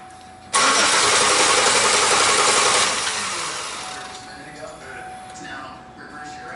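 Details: 2005 Chevy Impala that stalls occasionally cranks fast and evenly for about two seconds without firing. Suspected missing cam signal, traced to an injector and cam sensor harness connection problem.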